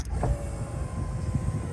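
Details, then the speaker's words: Restored 1990 Chevrolet V1500 Suburban 4x4 rear tailgate power window motor: smooth, low, steady hum with no grinding, clicks or straining; the window motor works perfectly. "and the window motor works perfectly so there's that"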